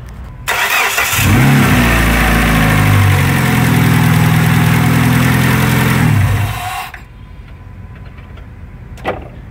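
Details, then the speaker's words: 2003 Dodge Neon after timing belt and water pump job, timing cover refitted with gasket removed: cranks, catches at once and settles into a smooth, even idle with no squeak or rubbing; earlier squeak gone. "but it's running it's running guys well I mean it was running before but it's running without squeaking now"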